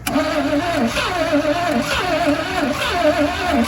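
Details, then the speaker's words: 1986 GMC Sierra no-fire, after a spark tester check and fuel poured in: starter cranks unevenly as cylinders half-fire, wanting to run but not catching. Cause suspected, not confirmed. "All right, guys. She's wanting to run. She is wanting to run. Y'all heard it, guys. Y'all heard it. She want to run."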